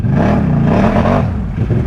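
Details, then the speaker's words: Can-Am Outlander ATV with portals and high-geared low range, four-wheel drive, no diff lock, full throttle in deep mud: engine roars and wavers without steady pull as the CVT belt slips a little when the tyres find traction. "that's the belt slipping belt's slipping a little bit once it actually finds all that traction"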